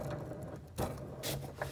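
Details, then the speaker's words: Mobility scooter driving, irregular gritty crunching bursts over low electric motor hum: wheel bearings rusted from water after riding in wet grass, worn and replaced. "and when she's driving on you can hear the bearings crunching"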